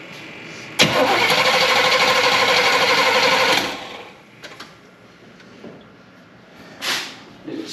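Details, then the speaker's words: 1972 Chevrolet Impala parked for a severe misfire: starter cranks evenly for about three seconds but it never fires; an inline spark tester on the front cylinder shows no spark, distributor next to check. "it all that I saw okay looks like we're starting out without spark so that that's where we'll begin our journey here"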